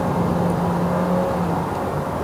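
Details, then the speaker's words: 2023 Toyota Vios NGC102 with CVT, cabin recording on a flat road: quiet at low rpm, but at full throttle a thin whine rises over the engine drone, likely CVT gearbox whine or weak front sound insulation. "Anyway, when the rpm is low is quiet But as soon as I floor it really loud"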